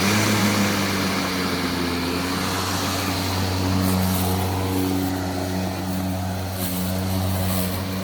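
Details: Milwaukee electric lawn mower with power button held in by a pressure clamp: steady, even motor hum at constant pitch, no dropouts or surging; running normally.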